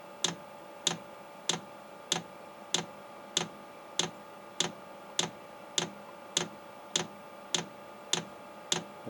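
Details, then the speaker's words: 8 kW Chinese diesel heater on first start, drawing 11.2 volts: sharp evenly spaced clicks about every 0.6 seconds, roughly 100 a minute, as the fuel pump primes and pulls fuel up; normal at startup. "it to start doing something with this fuel pump sitting over here okay i hear it clicking now"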